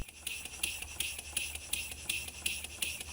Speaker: i'm not going to claim this engine is perfectly tuned but it's running relatively evenly there's no clacking or rattling in the mechanism and you can hear nice soft compressed gas noises at each end of the stroke